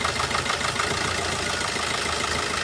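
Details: Four-cylinder diesel car with the injector re-enabled during an OBD2 scanner cut-out test. The idle is steady with even, quick clatter and no missed beats, so all cylinders are firing normally.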